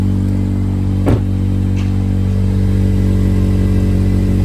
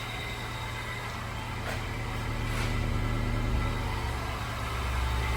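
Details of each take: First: 2007-2011 Honda CR-V: strong low engine rumble with coarse flatulent pulsing in exhaust note; exhaust leak from rotted-through aftermarket resonator. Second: 2007-2011 Honda CR-V at idle after welding a rotted-through aftermarket exhaust resonator/flange leak: smooth, even low rumble with no puffing, ticking or hiss; exhaust sealed, quiet.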